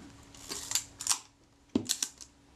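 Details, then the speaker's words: Kodak Retina IIIc shutter after service, on half-second slow speed: crisp opening click then closing click half a second later, clean and repeatable, self timer running down smoothly; slow speed timing correctly. "that's good half a second and self timer yeah that's running down smoothly that sounds good to me"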